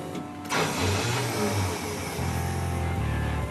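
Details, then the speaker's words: Classic Pontiac that sat about 30 years, with 12.3 V shown on the gauge before cranking: a short crank, then it catches quickly and settles into a deep, even idle with a slight rev. A clean, normal start. "So far, everything's good. There it goes. Just like that, it's alive."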